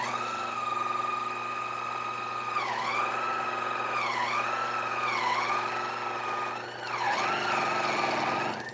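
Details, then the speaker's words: Coffee grinder running at grind setting six: steady motor whine dips in pitch about every second as if catching and dragging; intermittent slowing and rubbing, burrs possibly impacting, cause unconfirmed. "So now we've seen what the issue is, or at least we hear some kind of issue. You know, I don't know what I mean. Somehow the burrs are moving and they are sounding like they are impacting in some way."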